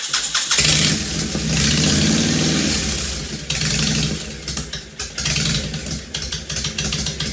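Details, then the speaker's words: 2005 Honda VTX1300 V-twin, below operating temperature, half an exhaust pipe missing: cranks and catches, then blips unevenly with a stumbling, hunting idle; rough running suspected from vacuum leaks, fuel-related, dies off throttle at speed. "yeah she sure sounds pretty rough um you know he just brought it over a little while ago so it wasn't stone cold but it wasn't up to normal operating temperature either but still you can tell she needs some work"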